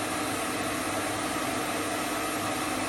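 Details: Hope Woodturning MK2 thread-cutting jig on a router at about 3000 rpm, male thread in beech: steady high whine with an even cutting rush, holding constant speed without bogging; normal clean cut.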